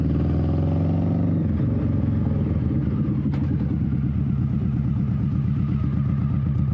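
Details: 21-year-old Honda Shadow V-twin with new Vance & Hines exhaust, baffle repacked with new fiberglass: deep, even thump pulling away and cruising, more tame, not raspy, deeper tone, no rattles or misses; normal exhaust note.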